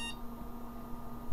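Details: Old 386 motherboard with a 40 MHz 80386, first power-up on the bench: one steady beep over a faint hum, followed by a CMOS setup screen from a 1991 BIOS; normal single POST beep.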